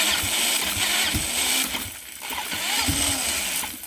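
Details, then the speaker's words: Home-built see-through engine on EFI, first start attempt, timing offset by 180 degrees: cranking with a harsh airy rush and sharp pops, popping from the turbo, never catches; engine temperature about 85–90 degrees; ignition timing suspected off. "wants to start I mean it sounds exciting and the temperature of the engine went up to about you know 85 90 degrees that's kind of cool but yeah I definitely have to figure out what's going on with this timing tomorrow"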